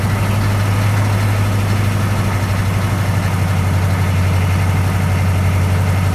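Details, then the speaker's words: 6.2L diesel on a cold morning after a new fuel filter: deep idle with a slightly lumpy beat about four times a second before conking out; rough idle not fixed, owner suspects temperature or air in fuel lines. "well apparently fuel filter didn't fix it just happened again kind of rough idle and then it conked out"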